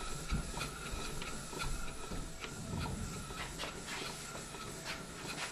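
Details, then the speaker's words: Marine steam engine with a balanced D valve, in forward, steam pressure lowered to about 3 psi: soft, even steam chuffs and hiss at a slow steady beat, no knocks; normal slow, smooth running. "And we're down to, let me read the gauge, I would guess it's somewhere down around 3 pounds per square inch at this point, still turning very smoothly."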